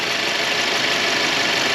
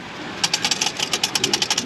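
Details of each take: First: Turbo car idling in the shop after a brand-new turbo was fitted, hot bolt paste burning off; steady even idle with a smooth airy hiss, no knock, whistle or flutter; normal idle. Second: Turbocharged engine after seized wastegate actuator replaced with new one that passes calibration, turbo still not boosting: light metallic clicks about seven per second from loose wastegate flap rattling freely, bypassing boost.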